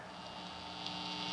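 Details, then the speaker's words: Newly built electric guitar, the Bluebird build, just wired and soldered and played through a six- or seven-year-old Fender Mustang amp. A steady low buzz with faint hiss runs under everything, unchanging. Builder notes all his guitars have this undertone buzz; grounding or shielding hum suspected, not confirmed. "all the guitars I've done have that little undertone buzz I don't know if you guys can hear that or not"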